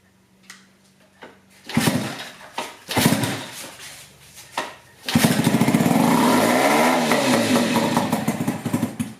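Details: Dumpster-found Yamaha two-stroke outboard on 32:1 premix, new pull cord, half choke: a few pull-start coughs, then it catches and runs high, buzzy and steady at full throttle; healthy running.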